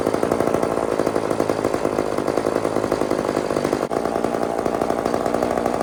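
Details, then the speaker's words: Old chainsaw (possibly 2399 or 2899 B10) on a slight prime: engine buzzes unevenly, speed hunting and stumbling with a brief dropout. Seems starved of fuel at low speed; carburetor suspected, low jet needs more fuel. "Friends, this is too erratic. So, you know that noise, right, friends? You guys know that noise, right? That's just enough gas to to get the thing to fire, but not enough to get it running."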